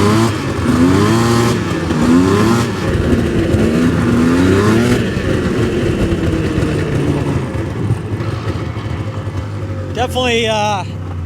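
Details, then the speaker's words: 1999 Yamaha Vmax 700 triple two-stroke snowmobile, just started on choke, choke then removed: revs unevenly and won't open up cleanly, idle sags and engine dies. "running great not opening up very good you can see it's idled down a lot oh and she died"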